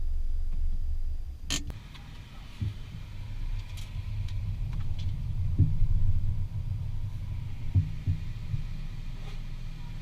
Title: 2014 Mazda 6 Knocking Sound When Applying Brakes